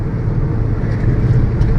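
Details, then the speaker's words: Maruti Suzuki Ciaz on road test, windows open: deep, steady hum under road and wind noise while driving; likely a worn front wheel bearing. "अभी ये जो sound है ये sound diagnose करने के बाद में ऐसा लग रहा है इसमें ल का बेयरिंग खराब है और व्हील का बेरिंग जो है वो हमारा अगले पहियों का व्हील का बेरिंग खराब है"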